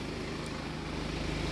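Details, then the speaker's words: BMW 5 Series idling after a turbo replacement, air filter box and boost hose refitted and fault code cleared: steady, even idle with a smooth low hum, no knocks, whistle or rattle; sounds quiet and healthy. "hopefully then there's no issues then an engine doesn't sound too bad on it uh it's nice and quiet and down now"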